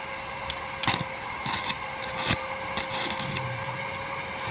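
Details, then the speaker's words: Repaired Blackfoot 350W/120A welder (4060 and PTC replaced) welding with 2.6 mm rod at 20 A: even crackling sizzle with small irregular pops, no sputtering dropouts; arc steady, welder working properly. "Oke berhasil teman-teman ya kita tambah ampernya di sekitar 70 [Tepuk tangan] ampere Oke jos teman-teman ya"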